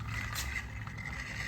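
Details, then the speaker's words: 1965 VW swing-axle transaxle, torn down and spun on the bench, gives a steady gritty rumble, louder than it should be, mostly from a worn shaft bearing; neglect, moisture and gear-oil loss; rebuild planned. "I mean, you can you can hear most of that's coming from that nasty old bearing right there, but it's clearly loud. That's not the way it's supposed to sound."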